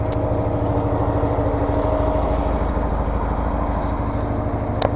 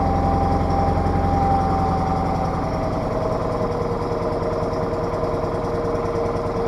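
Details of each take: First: Case 446 garden tractor with an old Onan twin at about 35°F, just after an oil change and new E3 spark plugs: an even, low idle with a constant drone and no misses, surging or knocking, healthy on a cold morning. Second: Case 446 garden tractor, old Onan twin (burning oil, rebuild planned), just after cold start in shop: lumpy burbling steady beat, strong gas smell, running super rich; carburetor adjuster screw to be turned after warm-up.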